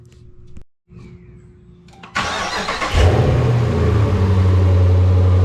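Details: Vehicle after cleaning reusable cold air intake filter, run with filter housing removed: cranks and catches, then revs with deep rising intake roar and strong low drone; runs cleanly and sounds healthy.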